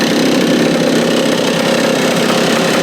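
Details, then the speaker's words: Free stand-up jet ski two-stroke on a stand, water hooked up: busy, even idle with steady buzzy pulse, cooling working; idles fine but dies when given gas. "Ooh, that was close. I mean, she's idling pretty good. The coolant system's working."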